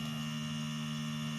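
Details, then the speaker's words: Honda fuel-injected motorcycle, key on with the injector socket reconnected; steady even low fuel-pump priming hum. With the injector socket or a wire disconnected, the pump does not hum at all. "Nah, berarti full pump dengung itu ada hubungannya dengan kabel soket injektor."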